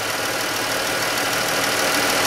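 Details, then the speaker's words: Chrysler 3.6 Pentastar with the known rocker tick, hood open, cover removed, listening with a mechanic's stethoscope at idle: light, quick ticking, still faint, seeming to come from one side. Suspected worn roller rocker and lifter. "now it's not doing it too loud yet but i'm just gonna listen around here i think it's coming from this side here"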